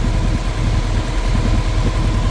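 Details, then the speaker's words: 1996 Honda 900RR Fireblade, 919cc carbureted four-cylinder, warm idle at operating temperature: a steady, even low idle with a soft radiator fan rush over it. The engine and cooling fans are working properly. "all right so fans are working she circulates she starts up she goes she shifts she stops all the lights work"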